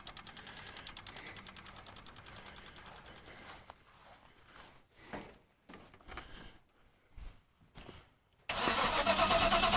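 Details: El Camino cranked from a JF.Egwo 3000A jump starter showing about 50% charge: even cranking about three turns a second for several seconds, steady and unlabored, no start.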